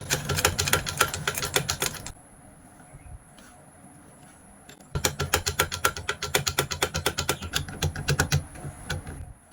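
Rapid uneven clatter at roughly four stitches a second, stopping and restarting, harsher than a normal stitch; mechanism noisy, cause unclear.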